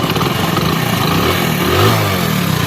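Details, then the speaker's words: Hero Splendor Plus single-cylinder bike after tappet adjustment, with timing magneto cover tightened: engine runs smoothly and takes a brief rev with no ticking from the valves; the tappet noise is gone. "के आवाज की दोस्तों बिल्कुल एक एकदम मस्त हो गया मखन हो गई है ना ही किसी खर्चे के ओनली डेविड सेट करने से"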